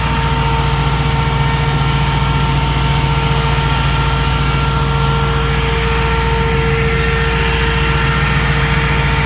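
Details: 2005 Jeep Grand Cherokee 5.7 HEMI V8 idling with the new 16-inch SPAL electric cooling fan, replacing the hydraulic fan, running: smooth steady idle, even fan whir, no surging or ticking; normal.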